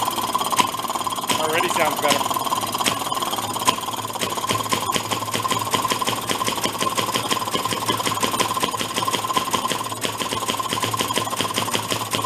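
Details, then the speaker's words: 1937 Maytag 92 single-cylinder two-stroke washing-machine hit-and-miss engine, drill-started while being adjusted: brisk, fairly even popping with a sharp crack on each firing; running cleanly. "we'll try to fire it up again and we'll keep tweaking this so it runs really smooth"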